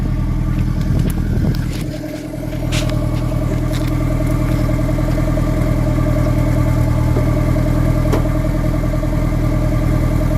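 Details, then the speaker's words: Nissan S14 after new exhaust gaskets and rewelded joints, leak fixed: deep steady exhaust rumble under revs with no puffing or ticking at joints, a bit loud but clean; healthy leak-free exhaust. "So yeah, I fixed up all the welds, fixed up everything. And yeah, now the car's good. Sounds good."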